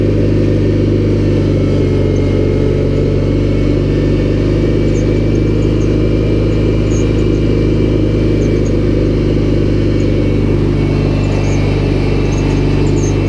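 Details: Cub Cadet 1811 garden tractor after oil change, with battery and charging problems and flickering lights: low idle with an uneven, labouring beat, engine trying to die and not wanting to stay at low throttle; cause unconfirmed.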